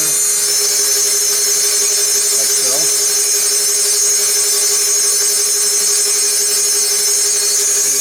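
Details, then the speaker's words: Technica ZSM-5100 center hole grinder on 480 volts, spindle running alone before oscillation is switched on. A steady mid-pitch hum under an even hiss, with no knocks or grinding; the spindle sounds smooth. "Okay. It's moving right along. Sounds nice."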